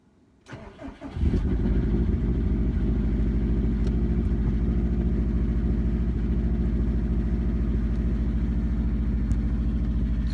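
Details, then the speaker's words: 2002 Subaru WRX with built 2.6L STi hybrid EJ25 engine, forged internals, cold morning start around high 30s–40s °F: cranks, catches, then a hollow, regular knock about 200/min at cold idle, loud piston slap. "i have a good amount piston slap in the morning it's actually pretty loud when it's cold out"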